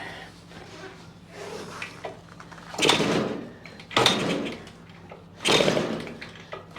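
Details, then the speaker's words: 1973 Yamaha CT3 175 two-stroke enduro on its first start with choke on, after hydrolocking full of oil and fuel; carb cleaned and bottle-fed. Rough running with loud raspy bursts and liquid spitting out. Owner suspects a major exhaust leak at the head or cylinder. "It sounds like a major exhaust leak up at the head, or at the cylinder. Well, it runs."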